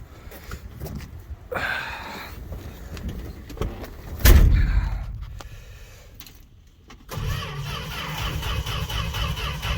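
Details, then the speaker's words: Fargo (Canadian Dodge D100) truck unstarted all winter, cold start without pumping pedal: long stretches of steady cranking that never catch, starter slowing at the end as battery runs down. "she's trying like I can't believe this it's going that long good for it"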